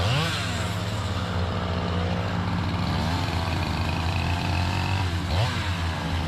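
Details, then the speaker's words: Chainsaw with 28-inch full-comp bar, aggressively filed chain, cutting white oak; howling high revs dipping under load then recovering, pulling strong until it locks up; bearing cage pieces found; crank bearing failure. "know because i caught them pieces what i caught in there was pieces of the cage the bearing cage"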